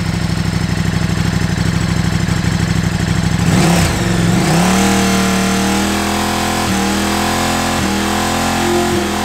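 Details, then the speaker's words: KTM RC8R V-twin held at about 5000 rpm in sixth gear with upshifts attempted after installing an Annitori quickshifter; lumpy engine rises to a steady high rev, then three quick exhaust stutters as it cuts spark; quickshifter working correctly. "you hear where it was like every time i tried to shift into the next gear um that just means that it's actually working so it's cutting spark to the spark plugs allowing you you know to quick shift"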